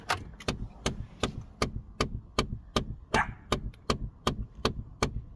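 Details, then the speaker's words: Pontiac G5 / Chevy Cobalt (GM): at startup, sharp evenly spaced clicks two or three a second behind the dash for 5–10 seconds. Cause: worn final gear in the HVAC blend door actuator. "hear that clicking for 5 or 10 seconds and it's that final gear when it's trying to open up it's not it's worn out and can't support that so it just start clicking"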